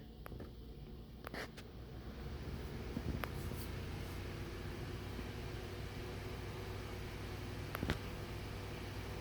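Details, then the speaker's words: Small older "W" brand electric desk fan (model F W07A HF-17ST, Taiwan), previously seized and long stored, running on high: quiet steady low hum, even airflow, no rattles or scraping; moves good air, runs a bit slow, probably needs oiling. "moves a good bit of air it's pretty good for a small fan really that is high"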